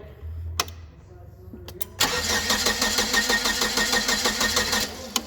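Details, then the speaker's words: GM Vortec 2.4 in a Hyster S70FT forklift, brought in for misfiring and backfiring with timing suspected. The starter cranks evenly for about three seconds without catching; no spark on the coil, so a dead coil is likely, and the signal wire is to be checked next. "okay so no spark whatsoever on that coil it's more likely than not because this is the same coil"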